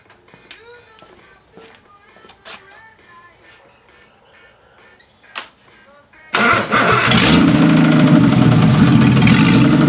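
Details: Engine after fuel pump diaphragm repair and valve adjustment, with coolant leaks and a weeping freeze plug: quiet until it catches at about six seconds, then a steady, even run with no knocks or misses; normal running.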